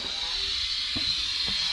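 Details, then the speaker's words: Kenworth K100E Aerodyne cabover 13-speed transmission splitter valve: steady high-pitched hiss of air at about 60 psi leaking out of the valve bushing, dumping all the air; valve part discontinued and needs replacing. "and that built about 60 psi but you can just hear that thing pissing out so that'll dump all the air because of the way it is"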